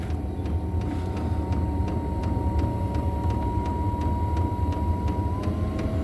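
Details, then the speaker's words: 8 kW Chinese diesel air heater after startup, glow plug off and current dropped to about 0.2–0.5 A; steady fan hum with faint regular dosing-pump ticking, pitch stepping up as the fan gains speed; running normally. "Fan's kicked in now, the glow plug's off, so it's 0.2, 0.5."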